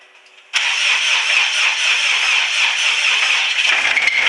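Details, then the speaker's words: Subaru STi EJ25 after turbo rebuild/reinstall with Precision 6262, new timing belt tensioner, cams retimed, no coolant or radiator: harsh metallic cranking rattle about four beats per second, won't fire. Abnormal cranking noise, no start; bottom-end damage feared. "Don't sound very good. Try it again. Making some funky noises. Not sure what we got yet, but I'm afraid we may have some bottom end"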